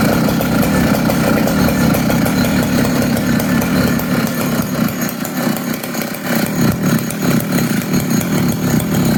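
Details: Poulan 5200 magnesium-cased two-stroke chainsaw after clean-up and new fuel line, idling steady and even with no stumbling, surging or dying; healthy idle.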